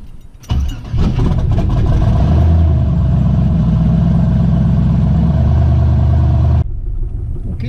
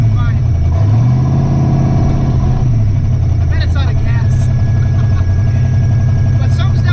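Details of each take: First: Twin-turbo Ford Ranger on its first drive, running E85 with a revised timing and fuel tune: it catches and runs about six seconds with a lumpy, uneven throb, loud exhaust on one side, then stalls. The owner suspects one full bank isn't firing. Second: Twin-turbo Ford Ranger V8 on E85 with retuned timing and fuel, driving: deep, steady drone with no surging, bucking or missed beats after fixing transmission file error; normal running while driving.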